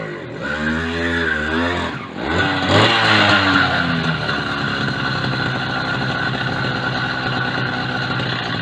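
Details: Mk3 motorised bicycle with 66cc two-stroke kit engine after a new CDI was fitted: blips up crisply, then settles into an even, steady buzz with no misfire or knock.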